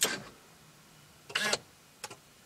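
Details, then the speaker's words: Sharp click, quarter-second whirring buzz and soft final click as a C5 Corvette column lock actuator engages when the key is pulled out with ignition off; Tech2 shows ignition off locked, normal operation. "and you heard the actuator work and now it says ignition off locked and the wheel is now locked"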